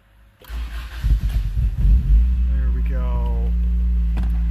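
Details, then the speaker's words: Wrecked Honda with a manual transmission, after a new fuel pump relay and new pump giving 35 psi fuel pressure, with a sheared-off exhaust: brief uneven cranking, then it catches and settles into a steady, even idle. A normal engine start. "jeez oh it's good to hear this thing running again it's got a sweared off exhaust runs really good"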